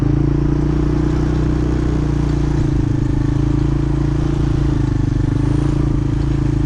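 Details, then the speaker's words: Small ATV engine pulling steadily around a yard after its chain was shortened: even low drone with only a light chain patter and no rattle or slap; chain running normally. "now colton's gonna give it a go and center it around the yard and make sure everything sounds good i don't really hear the chain rattling as"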